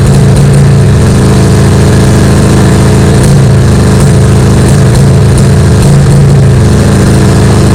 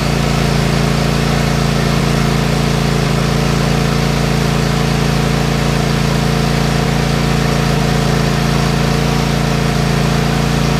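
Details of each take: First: Craftsman Kohler 7000 series 20 HP twin mower engine after tune-up, running at high speed with an uneven stumbling beat as one cylinder, seemingly left, cuts out; compression 150 both; failing coils found; high-speed misfire. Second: Craftsman Kohler 7000 series KT715 20 HP twin after replacing both ignition coils: smooth, even hum with no skips or stumbles, both cylinders firing cleanly. The earlier high-speed miss and loss of power on one cylinder was cured by the new coils.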